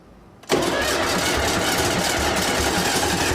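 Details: John Deere 401C diesel after priming fuel lines, throttle at about half: brief crank, then it catches and runs on with an uneven, rough beat that never fully settles; oil-cooler flex hose left off, oil spraying.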